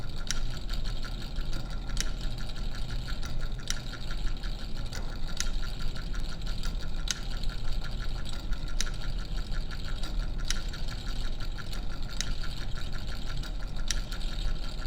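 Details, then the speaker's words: Vintage Signatrol mechanical primary neon sign flasher after repair: steady motor whir with sharp, even clicks about every one and a half seconds; normal flasher operation. "but anyway, wow that's cool! got it working again."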